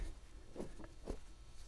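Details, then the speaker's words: Hand-spun bogie wheel bearing from a 7 hp Snowdog, bogie assembly removed, held to lapel mic: low gritty rumble with scratchy catches; worn wheel bearing, owner advises replacing all (6205-2RS). "that that's not a good bearing noise some of them are good some of them are bad you're better off just replacing all of them unfortunately"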